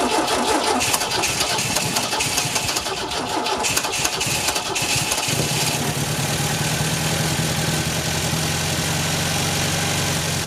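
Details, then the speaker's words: 1974 MGB that had a bad rod knock, with fresh fuel and new filter, cold start: cranks and catches, then a steady, even fast idle with a smooth low hum and good oil pressure; normal cold high idle. "This thing is really cold. As you can see, she is cold. She's in high idle right now."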